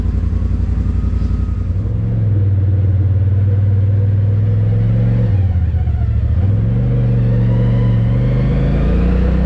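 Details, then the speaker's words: 2020 Polaris RZR Pro XP with Aftermarket Assassins Stage 3 clutch kit, 1-2-2 weight setup, 32-inch tires, level 3 tune, about 8400 rpm: deep drone rising and dipping cleanly with throttle, clutch grips without belt slippage. "that thing gets up and goes uh no belt slippage it just grips and goes the whole the whole time"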